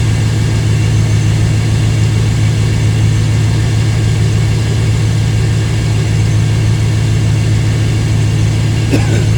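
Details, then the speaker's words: 1997 GM 5.7 L 350 Vortec V8 after water pump replacement, factory exhaust manifolds: deep, steady idle with even low rumble, no knocks, ticks or hunting; normal idle. "I think it sounds good it's a 5.7 350."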